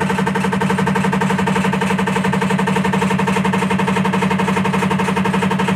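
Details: IFB top-load washing machine: loud, even knocking rattle about twice a second over a low motor hum, never easing; loud rattling noise from the drive, cause unclear.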